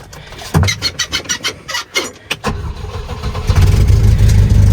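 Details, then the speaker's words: Volvo 122 Amazon used as the battery donor while the red 240 turbo sits: quick run of starter cranks, catches within two seconds and settles into a steady, even idle; healthy normal start. "Purrs like a kitten."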